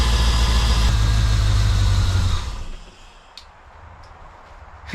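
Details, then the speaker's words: 1990 Corvette V8 after replacing a worn distributor with a new upgraded one: deep, even rumble catches straight away and runs steadily a couple of seconds before dropping off; clean, healthy start. "it started right up"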